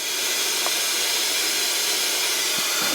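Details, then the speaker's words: M925A1 army truck air brakes: steady sharp air hiss at the wheel from a blown brake chamber diaphragm leaking air; damaged brake chamber needs replacement or rebuild. "Oh, and you can hear I got a blown diaphragm over there. There's my air leak."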